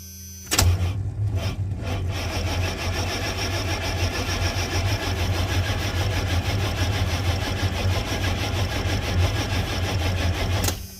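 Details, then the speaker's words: Van crank-no-start after the suspected ignition module was replaced: steady starter cranking for ten seconds, never fires; fuel pump runs constantly; acts like a ground fault though grounds check good; electrical cause unknown. "nothing fuel pump still just constantly running too so yeah that's definitely not the problem acts like a ground but all the grounds are good so I don't know something's going on"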